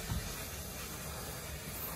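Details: 1989 Crown Super Coach bus: steady rush of escaping air over a low engine rumble while a brake air line is disconnected. The main air leak was still undiagnosed.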